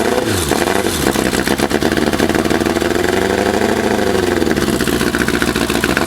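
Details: 1984 Kawasaki GPZ750 Turbo, fuel injected, first start in 22 years after sitting under a tarp since 1989: uneven, lumpy idle surging and sagging before settling; rusty fuel tank and dirty injectors, sounds bad at first, then runs better.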